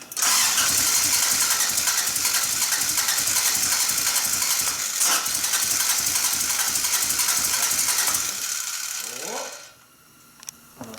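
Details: Toyota AE86 after ignition coil replacement, start attempt: rapid, regular cranking at about three per second for eight seconds, then it stops; the engine turns over but does not start. Owners suspect the timing may be a tooth off.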